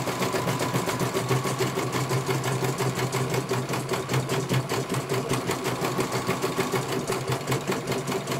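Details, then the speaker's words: CNY computer embroidery machine in for service; at first its motor (dinamo) would not turn at all and the bobbin case was missing. Fast, even needle clatter at a steady rate with no skips, grinding or knocking as it finishes one colour; normal stitching, judged very good. "suaranya. Selesai satu warna. Kalau ini bagus sekali, langsung saya tutup saja ya."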